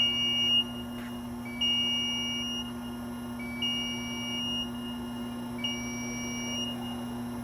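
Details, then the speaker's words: IMER Gerris 800 tracked concrete placing boom on 120 V electric power only, no gas motor: steady electric hum of the hydraulic pump under a two-tone beep every two seconds while lowering the stabilizers at about one third of normal speed; normal operation. "So when it's humming, that means the electrical system is operating the hydraulic pump."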